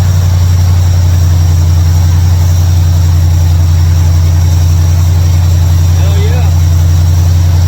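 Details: 1955 Chevrolet Bel Air, carbureted, running after ignition bypass and carburetor mixture/air screw adjustment: deep, steady idle with an even low thrum, no stumble or hunting; idles much better than before, a normal idle.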